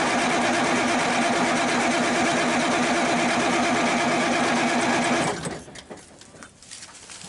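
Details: Circa 1991–92 Kenworth W900 with 350 Big Cam Cummins, not run in years, first start attempt: steady starter cranking about 2.5 turns per second for five seconds, never catches; suspected fuel starvation, fuel pump to be primed; no-start.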